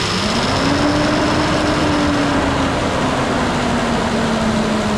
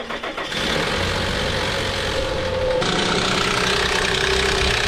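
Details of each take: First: Nissan Pathfinder VQ40DE after replacing all three timing chains, guides and tensioners; steady even hum with only faint smooth whine, no more click-clack, quiet and healthy. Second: Nissan VQ40DE in a Pathfinder: harsh, busy metallic clatter over the idle from worn timing chains, tensioners, swing arms and guides, all to be replaced; timing chain rattle.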